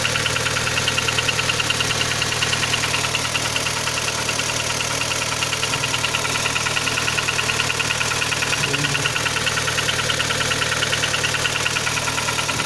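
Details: Kia Sportage 3 engine idling with a light regular ticking knock about three a second; knock louder cold, quieter warm, present at low speeds, vanishes at 60-90 km/h, returns on throttle lift and reapply; cause not pinned down.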